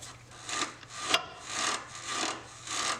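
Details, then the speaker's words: 2002 Chevy Trailblazer front suspension worked by hand during rebuild: dry squeaking creaks about twice a second from a worn joint; ball joint to be replaced. "sounds terrible all squeaking that's going to have to be replaced too don't it"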